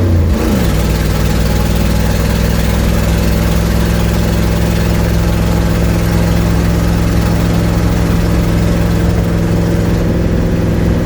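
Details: 1972 Ford Mustang driving home at cruise, phone on dash; loud steady low drone with rough raspy edge over the engine note: exhaust leak.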